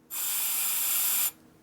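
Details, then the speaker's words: Harley Twin Cam 110/117ci flywheel rebuild: compressed air is pushed through the crankpin/rod oil passage, giving a strong steady hiss for about a second that stops cleanly. Air definitely flows through, volume unsure; the passage is clear. "You can hear it. So we have air through there. Not sure about the volume, but we definitely got air blowing through it."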